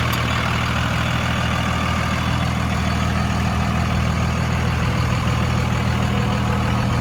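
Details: Deep, steady diesel clatter at about three even pulses a second, no misses or knocks from a 2002 Dodge Ram 2500 5.9 Cummins 4x4, 6-speed manual, 102k miles; healthy normal idle.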